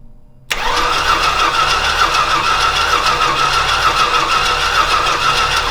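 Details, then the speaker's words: Old Stewart & Stevenson aircraft tug: the engine fires and runs rough and uneven for about five seconds with a rattly whirr, then dies. The owner notes it seemed to like a little fuel and plans to pull a plug to check if it's wet. "well okay it ran a little bit I mean it ran a little bit so I don't know what I'm doing wrong"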